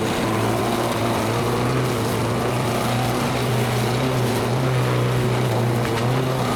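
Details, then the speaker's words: Vintage Lawn Boy Gold Series 4.5hp two-stroke mower, restored curb find, running after repair with fresh gas: steady even buzz with no misses or surging; normal running, way better than before. "that's way better than it was"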